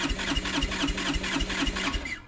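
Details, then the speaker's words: Starter churns with a steady chuff about four times a second and never catches on a Kawasaki Brute Force 300 ATV, Kymco engine, black plug, backfiring, compression 180; starts only by playing with the starter button, never with the choke on; a tight intake valve is suspected. "it'll never start if you turn the choke off it'll never start but if you press the button and do this yeah eventually it'll start but it won't ever start with the choke on it will only start if you play with the button like that so I think I think what is going on is one of my valves is tight I think it's an intake Val"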